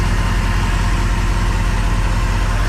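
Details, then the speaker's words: Crusader engine idling in gear after the injectors were rebuilt and the rails cleaned; unplugging cylinders seven and eight, previously not working, gives an immediate drop, so both now fire. Deep, even idle, steady beat, no misses or knocks. Normal idle. "so now we've got an immediate drop for both cylinders so both cylinders are working how they should"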